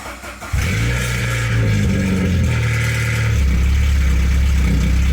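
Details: 1992 Saab 900 naturally aspirated 2.1 after new welded exhaust with homemade threaded-rod hanger, no muffler yet: catches after brief crank into loud deep drone; light startup rattle from exhaust hanger still needing adjustment.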